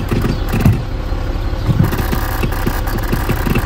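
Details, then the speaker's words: Citroen C6: irregular dry crackling and scratchy clicks like a rat, from the body control unit (BSM) under the dash, with short circuit suspected; cause unconfirmed. "tu as l'impression qu'il y a un rat là-dessous là ça fait du bruit à fond et c'est relie au BS même le BS il fait du bruit"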